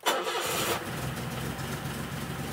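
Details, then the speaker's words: 1970 BMW 2800 CS (E9) coupe stored for 38 years, with seized brakes, started and put into drive; a brief crank, then it springs into life instantly and settles into a steady, even idle: normal start. "it starts running away I start I can't I still can't believe how quickly it just it Springs into life bonkers"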